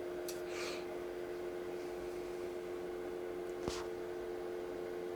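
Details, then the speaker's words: Sony DVD drive fitted in Cyrix retro PC in place of failing 52x CD-ROM, while gaming: steady mid-pitched whir, loud disc spin; owner thinks noise comes as disc spins down then back up to load menus. "that DVD drive is pretty noisy too I think it's when the disc spins down while you're playing the game and then tries to spin up to load them in menu again"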